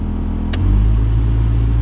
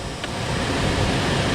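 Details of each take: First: 2005 Skoda Fabia cabin heater blower fan, dead on speed 1, racketing at speeds 3–4: clicks up a speed and roars louder with a fluttering, rattly drone, from debris in the fan housing; owner first suspected the resistor. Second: 2005 Skoda Fabia cabin heater blower, tested on speeds after removal and cleaning (a peanut was found inside): a steady, even rush of air with no rattle or scraping; it is fine, though speed one does not work.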